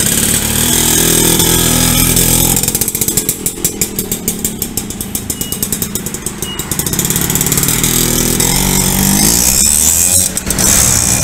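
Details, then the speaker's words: Yamaha V75 two-stroke bored up to 72cc, after piston work and clutch repair, previously weak and rough when hot: crisp buzz rising and falling cleanly with throttle blips, no misfire; runs noticeably smoother than before. "motornya juga sudah nyala ini kita coba dengarkan suaranya sudah lumayan halus ketimbang yang pertamanya teman-teman"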